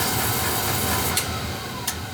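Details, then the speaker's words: Oil-fired boiler burner after filter and nozzle change and bleeding air from an overhead-fed oil line: steady, even roar with no pulsing or sputter; sounds better now. "all right so she's shut off on a little temperature it sounds better now"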